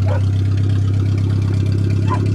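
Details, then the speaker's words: Old rusty Suzuki Swift 1.3 four-cylinder just started after rotten fuel lines were replaced and the frame welded: smooth, low, even idle hum with steady pulse, no stumble or miss; fired up great, runs perfectly. "Well, I hear it running. Oh yeah, simple as that. It works perfect. This thing fired up great this year."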